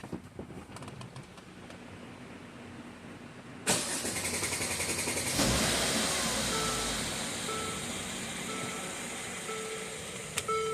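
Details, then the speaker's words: 2013 Mercedes ML350 naturally aspirated, brought in for extended cranking, startup rattle and timing codes: it now starts with a brief crank and settles into an even idle with no rattle; the phasers were oil-starved from low oil and poor maintenance, and only one bank's code remains. "all right no no rattling noise noise so continuously right now we're only getting the One Bank"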